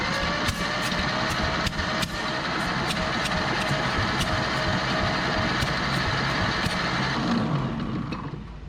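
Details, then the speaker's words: Barn-find 1930/31 Ford Model A coupe, unused since 1964, checking compression on cylinders one and three: slow cranking with firm, fairly even compression thumps about three a second. Compression is now way better. "spin this crank out of the uh crankshaft before we spin it over now let's see if we got compression on one and three"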